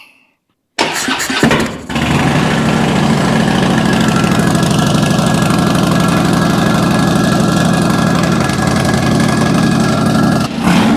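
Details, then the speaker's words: 2006 Harley-Davidson Dyna Wide Glide after repairs: cranks and catches within a second, then a loud, steady lumpy V-twin idle with no cutting out; sounds better than ever, normal idle. "Yes. Yes. We did it. We did it. We did it. Now, I hadn't written it yet. It's never sounded that good."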